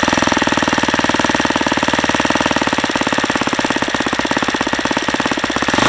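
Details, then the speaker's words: Saito FA-150S four-stroke model engine, early version, on 10% nitro fuel with a Xoar 17x8 prop and Saito P2 plug, deliberately over-leaned: a harsh, fast metallic rattle rides every firing stroke, then flares, as the engine detonates. "okay I guess that's what happens when you lean it out too much"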